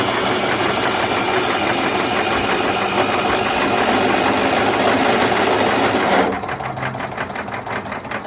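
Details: Troy-Bilt Gardenway 47278 vac chipper, Briggs flathead horizontal engine with 12-volt electric start: the starter motor whirs and turns the engine over with a steady chug, about three strokes a second. Starter and solenoid work normally.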